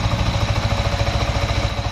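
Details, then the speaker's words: Yamaha XSR 155 after replacing a loose rocker arm and a non-returning cam chain tensioner, radiator still being bled: engine idles smooth and quiet, even low pulse, no ticking or rattle. "Ini udah lembut suaranya. Ini udah udah enggak bising."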